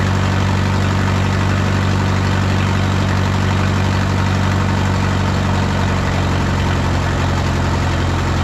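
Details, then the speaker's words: 1951 Farmall M tractor with a coolant-in-oil-pan issue, run about 20 minutes toward operating temperature to check the plugs: a steady low idle with an occasional stumble, still missing every once in a while; intermittent misfire at idle. "it's kind of back to running the way it was before we put the Autolite 316s in it you know it's not horrible but it still is uh Missing every once in a while and it shouldn't be doing that"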